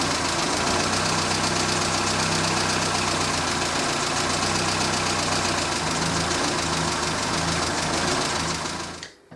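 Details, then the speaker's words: Morris Minor idling near a 1000 RPM target while setting the carburettor mixture: a lumpy, slightly uneven beat; the plunger lift test shows it runs too lean, and the worn carburettor needs a rebuild. "If you lift the plunger up and it stalls, it's too lean. And mine is running too lean. That's very annoying. That's an issue."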